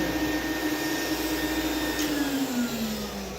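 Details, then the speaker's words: Small "mini vac" vacuum: steady motor whine whose pitch slides lower over a few seconds as airflow chokes off; filter lightly coated and clogged with a thin layer of dirt and dust, enough to stop the vacuum cleaner working. "it's just lightly coated and clogged what they then layer of dirt and dust and see that's all that it takes to stop the vacuum cleaner from working"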